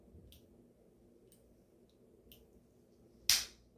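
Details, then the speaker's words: Omnipod 5 insulin pod change: a few faint ticks in near silence, then one sharp snap as the cannula fires; pink indicator slid over, confirming correct insertion. "oh hear that that's it and see now my pink is over here so it is in there correctly"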